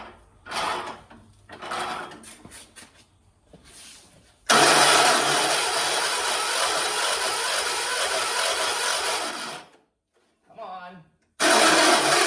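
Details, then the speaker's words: 1976 John Deere 300 tractor with a starter in a bind: several short cranking bursts with gaps, then the engine finally catches and runs steadily before cutting out. Hard start with prolonged cranking. "My John Deere won't start today. What is going on? Oh, my John Deere doesn't even want to run today."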